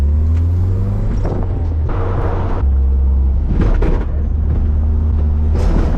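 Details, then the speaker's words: Abandoned Toyota AE86 Corolla revived after sitting for years, driving home after coasting stalls; deep uneven rumble surging and sagging under load, suddenly running really terribly; owner wonders if the 80s carburetor is clogged: rough running engine, cause unconfirmed. "Okay, all of a sudden, running really terribly."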